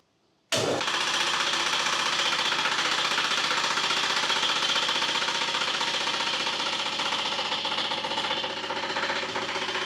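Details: Fusheng HTA-100 air compressor started with an empty tank and no pressure: loud, rapid metallic knocking at about four per second that fades as pressure builds. The compressor otherwise works normally.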